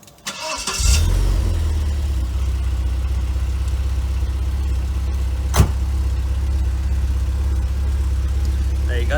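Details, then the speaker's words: 1995 Vauxhall Cavalier MK3 X20XEV, warm start after crankshaft position sensor replacement (it had intermittently stalled with a flashing ECU light): brief crank, fires at once, smooth even idle, no misses or knocks; healthy. "i have been using the car today so it's not a cold start unfortunately um but yeah we'll start it up and i'll let you have a listen"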